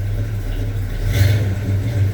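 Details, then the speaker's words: 1984 Chevy C10 V8 with added power steering, started after sitting a while and pumped: low, throaty idle with a brief light swell in revs, smooth and even while warming up. "uh Brian done a whole bunch of work for this truck and put power steering on it on top of that if I had more time in a day I'd play with it but I I just don't have no time uh I'll let it warm up for just a second"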